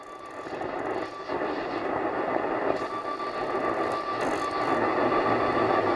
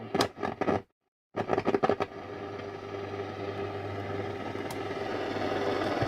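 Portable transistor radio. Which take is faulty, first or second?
first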